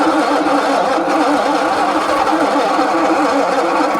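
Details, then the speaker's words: 1966 Ford Zodiac Mark III abandoned for decades, with oil added to the cylinders to raise compression: an even cranking chug that never catches. It cranks but won't start, and weak compression is suspected. "these theatrics just went on and on and on and on I just couldn't get the car to Fire"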